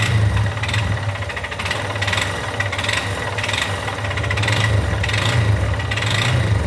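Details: Yamaha XTZ Lander 250, 2020/21, 34,000 km, idling: dull knocking rattle on each beat and a faint metallic hiss swelling about once a second; engine noise, source not pinned down.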